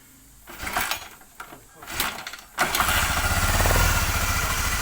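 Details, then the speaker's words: Honda CBR LED motorcycle after piston and cylinder block work to cure smoke and rough noise; a few starter tries, then it catches and settles into an even idle without rattle or knock, oil circulating and no smoke from the exhaust. "Dan ini sudah halus ya, belakangnya juga sudah tidak berasap [Musik] lagi."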